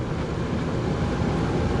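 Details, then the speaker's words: RV rooftop A/C with Micro-Air Easy Start soft starter, on a 30 A generator, cooling on high after slight click: compressor heard running up on the roof, smooth constant low hum and airflow rush, no clicking or rattles; normal. "I can hear the compressor running up there"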